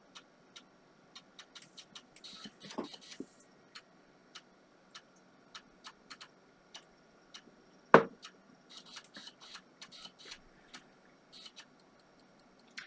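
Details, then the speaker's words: IBM PC 330 Pentium 133 during restoration, floppy drive reading a Windows ME boot disk: light, even ticks about twice a second with a short buzzing seek, no grinding or scraping; drive reads cleanly and works fine. "Let's plug the floppy in. Floppy drive light came on. Sounds good."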